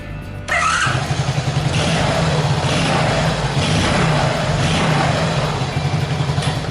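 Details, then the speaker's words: Friend's Honda Super Cub after maintenance and new starter motor fitted, engine not run for days: starter cranks slightly slow, single cylinder catches and settles into a steady, even low idle putter; normal start and idle. "Start the engine with the starter motor. Slightly slow? Well, it should be fine."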